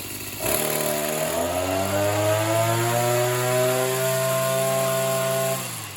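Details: Oleo Mac BC240 strimmer, assumed 24cc two-stroke, warmed up after spark plug clean: buzz climbs slowly and levels off short of full revs; owner suspects a partly blocked in-tank fuel filter.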